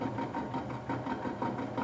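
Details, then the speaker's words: ABC Hansen horizontal stone mill during parallel adjustment: pulling the eccentric at each of three supports gives even rhythmic rubbing about three beats a second over the hum; stones lightly touching, sound should match at all supports. "note whether you can get the grinding stones to make a louder noise when you pull the eccentric towards you do this with all three supports it must be the same kind of sound in each case"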